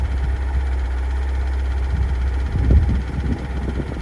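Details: 2022 Kia Sorento 2.2 diesel MQ4 cold start: low steady idle, then loud irregular knocking rises over the rumble around 1m40s, persisting a month after service, which found no fault codes; cause unclear.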